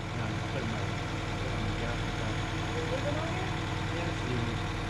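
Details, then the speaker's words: Toyota AE86 Levin first start after fuel pump install: uneven, lumpy running with a busy, unsteady note instead of a clean idle, backfiring heavily; rough running with intake backfire, cause not yet found. "it's not sounding right i'm gonna try one time up no it's all right it's like backfiring like crazy yep so i gotta check it out"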